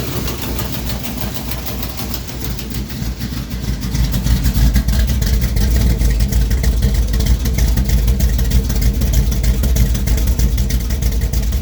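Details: 1973 Plymouth Duster 440 V8 (bored .030 over) idling after a cold start following a week sitting: a deep, loud idle with a steady lumpy lope, even beats and no knocks or misses; normal idle.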